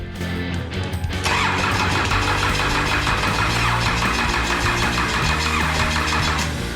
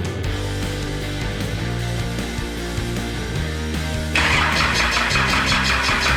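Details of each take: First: Cummins 6BT diesel with ZB30 starter, being fitted to a GU Patrol with 4L80e, injector lines cracked open so no fuel yet: steady rhythmic cranking about three beats a second that never catches; needs fuel priming. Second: Cummins 6BT diesel swapped into a Nissan GU Patrol with a 4L80e, first start after filling the oil pump pickup: about four seconds of cranking, then a clean fire into an even diesel clatter at idle. Normal start and idle.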